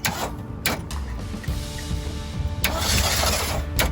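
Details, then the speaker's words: V8 CJ5 Jeep not run in 25 years, new plug and coil wires, grounds fixed, given ether: cranking interrupted by a few ragged bursts that catch and die; runs only on starting fluid, not getting fuel on its own. "Okay, I think we can confirm this motor runs. I agree. It started to go."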